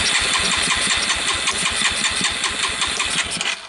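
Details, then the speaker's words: 1985 Suzuki Quadrunner LT230 shaft-drive ATV, barn find, cold start with choke pulled and gas pumped: rapid uneven cranking pops that never settle into idle; hard starting, owner expects it needs starting fluid and suspects choke isn't connected. "She's not starting easy. Well, it'll probably start with starting fluid."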